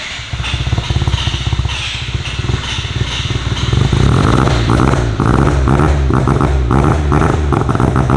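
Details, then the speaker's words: Mazda RX-7 FC rotary with a new exhaust, warming up cold off the lift before its first drive: runs unevenly, popping and stumbling, and gets louder as revs rise. Fuelling is cutting and recovering, so it runs rough. "it needs like this quick splash of fuel and then as soon as it starts to like pick up any RPM it's got to kill all fuel let it grab itself and it wants to build back it's so wild"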